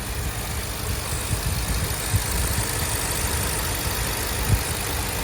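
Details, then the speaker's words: 2023 Ford Super Duty 7.3 Godzilla at idle after replacing a loose upper idler pulley (old plastic spacer); bottom idler and tensioner bearing checked smooth, not loose. Even low rumble, faint taps are a creaking ladder; no belt-drive rattle or squeal, sounds healthy. "I checked the bottom idler. It was smooth and wasn't rattling or loose. I checked the tensioner. Bearing was good. It was not loose or rattling. So, I don't know. Sounds good right now."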